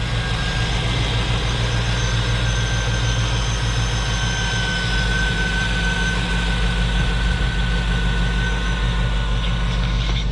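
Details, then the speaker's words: 2005 Cadillac Escalade 6.0 LQ9 V8 at idle, after a test-start by the engine: deep, steady, very quiet rumble with no lifter tick; manifold bolts appear previously replaced; healthy engine. "hate these drum boxes very very quiet uh looks like the manifolds may have already been done on this but no lifter tick no no ls tick either"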